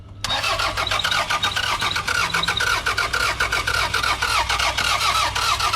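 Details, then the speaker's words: Cheap used car, missing a vacuum hose, with fuel in the tank: steady starter churn at nearly four beats a second that never fires; crank-no-start with the immobilizer active. Owner suspects no fuel or no spark. "Oh, no. Keep cranking."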